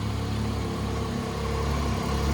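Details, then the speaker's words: 2010 Triumph Street Triple R 675, 38,566 miles, minor low-side crash; even steady low idle with smooth pulse, no knocks or hunting; engine sounds healthy. "Man, this is probably the coolest sounding bike I've ever owned or parted out."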